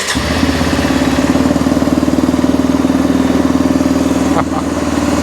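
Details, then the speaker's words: Arctic Cat 400 4x4 ATV after replacing the carburetor, fresh gas, charged battery: steady, even idle with a quick regular beat, possibly idling a little high, smooth with no knocking or missing; normal idle. "Success. And the idle doesn't actually sound that bad on it. If nothing, it's probably idling a little high, actually, I think."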